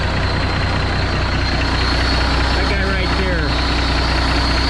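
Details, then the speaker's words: Kenworth K100E Aerodyne cabover diesel at idle: a steady high hiss from the 13-speed transmission's valve splitter stops when covered with a finger; owner suspects bad O-rings; air leak at splitter valve. "just missing air out and he put my finger over there and now it stops but i don't want to have to get out every time and do that and it'll it'll probably pick back up and start pissing air which i'm i'm almost positive there's some o-rings that are bad"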